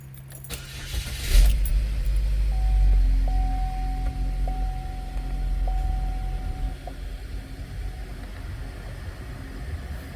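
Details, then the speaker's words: 2015 Chevy Equinox after throttle body replacement, following earlier cam actuator solenoids and a P2119 code: engine catches after a brief crank and settles into a low, even idle with no misses or knocks; runs well. "so the road test went fine everything went good it runs great the throttle response is actually a little bit better too"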